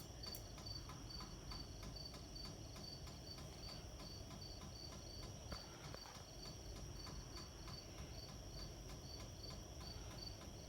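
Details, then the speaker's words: 52-inch Hampton Bay Glendale ceiling fan makes a light, regular clicking about three times a second over a faint hum, crickets behind; warped blades throw it off balance, click cause unclear. "okay that noise is starting to get annoying to be honest that click that clack that click and noise this fan is making"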